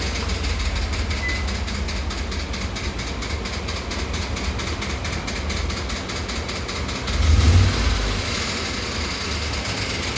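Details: Ford F-150 5.0L V8 idling with a steady, rapid knocking tap over its low rumble; engine knocking noise.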